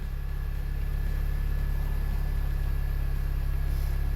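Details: Supercharged 2008 Mini Cooper S R52 Sidewalk Edition Cabrio idling before repair: low, slightly lumpy idle with a faint uneven pulse from a cylinder misfire; later fixed by replacing spark plugs, ignition leads and coils.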